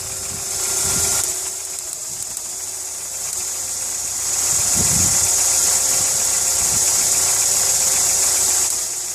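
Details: VW Polo 6N2 running at idle: a light, quick tick about three or four times a second over a steady idle; cause unknown; the car also has starter motor trouble and an airbag light on.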